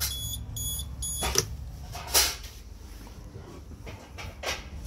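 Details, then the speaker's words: Socket tester giving short bursts of high repeating beeps, then handling clunks, after the neutral was deliberately disconnected on a live storeroom socket circuit in an industrial unit; lost-neutral alarm confirms the correct neutral was identified. "So just to make sure, I disconnected the neutral while it was live. And there, it's telling me that the neutral's out, so I know it's the right neutral."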